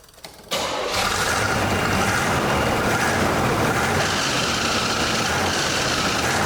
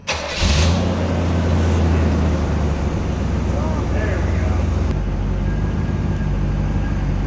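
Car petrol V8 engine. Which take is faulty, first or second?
first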